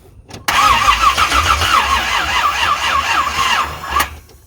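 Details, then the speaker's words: 1985 Chevrolet C10 with high-compression 383 stroker, not run in 10+ years, headers loosely fitted without gaskets: starter turns the engine slowly and unevenly about three seconds without firing; slow crank from a very dead battery. "wow that battery was a lot more dead than I thought that's something that just spinning over"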